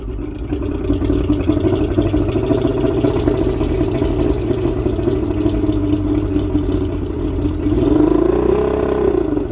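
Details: 1995 Astro 18FS boat, V6 135 outboard, likely saltwater, 5x5 prop, water flushing through, cold start with warm-up lever up and a little prime after sitting a while: catches and runs with uneven lumpy beat, then revs up; rough running.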